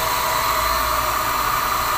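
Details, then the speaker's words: Water pump after repairing its motor wiring; it previously only hummed without spinning, now runs normally with a steady even electric whir, clear hum and airy hiss. "Gumagana na siya Ayos na Ong water pump natin"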